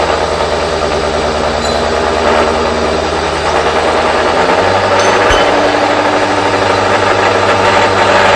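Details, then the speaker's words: Machine-tool motor during a slow facing cut gives a loud, steady drone with rough cutting chatter that shifts pitch. The motor bogs down at slow speed and is sped up afterwards. "You can hear the motor bogging down a bit there when it's going slow."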